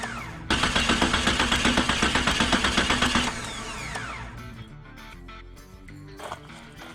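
Steady, even starter churn at about four beats a second for three seconds, then it stops; cranking is healthy and spark is present.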